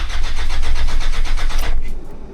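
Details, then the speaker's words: 1994 NJ Mitsubishi Pajero 2.8L turbo-diesel with a past overheating and no-start problem, started after two glow-plug cycles: it catches with uneven, lumpy firing, then stumbles and drops away. Owner suspects the fuel leaked down and let air in. "yeah, it might have leaked down with that air. Huh. Yeah, a bit of a stumble."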